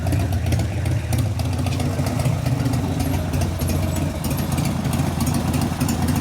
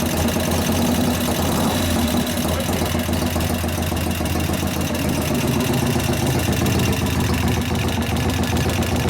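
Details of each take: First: 1988 Harley FXR V-twin after the lifter-noise repair (pushrod adjustment and cam change): deep, loping idle with a steady low rumble and no valve tapping. The valvetrain is now quiet and healthy. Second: 1988 Harley FXR V-twin, hot engine at idle: fast light ticking over the loping idle. The lifters are louder hot as valve lash grows, and 50-weight oil didn't stop it. Lifter noise was addressed with pushrod adjustment and a cam change.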